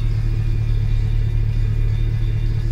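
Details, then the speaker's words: Gen V swapped engine idling at -20 degrees of ignition timing, which makes it sound terrible, heats everything up and gives odd throttle response: deep, lumpy, sluggish idle with an uneven throb; rough idle from retarded timing. "when it's at negative 20 degrees of timing it sounds terrible it heats everything up and your throttle response is funny"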